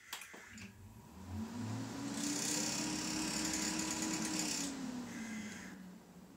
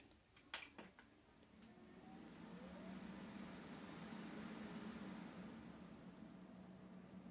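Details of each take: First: Stock Corsair H110i GT radiator fans at system power-on, before replacement with Noctua NF-A14 iPPC 2000 RPM fans: a loud rushing whir climbs and holds with a fast fluttering rattle underneath; noisy, clicky, rattling fans. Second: Corsair H110i GT radiator after its noisy, clicky, rattling stock fans were replaced with Noctua NF-A14 iPPC 2000 RPM PWM fans: a few clicks at power-on, then a soft airy rush that swells and settles with no rattle. Normal fan operation.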